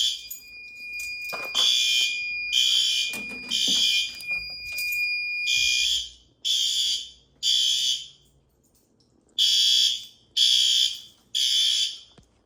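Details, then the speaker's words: Building fire alarm sounding shrill high tone in roughly one-second bursts with short gaps, set to low volume, after a heat detector was tripped during monthly night-time testing; strobes flashing, monitoring notification received. "whether it was noticeable on camera or not I'm not sure but I changed this to low volume from high volume as it was a little too painful before doing the monthly tests"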